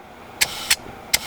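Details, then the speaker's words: Four short airy hisses about a third of a second apart as air fills the front bags of an air-ride setup; the original compressor is presumed dead, no leaks were found, and the bags inflate normally. "they're going up we have pressure in the bags it's like a huge weight off of my shoulders"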